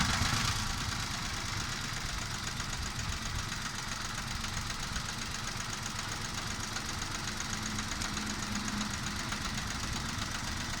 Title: Nissan Micra misfire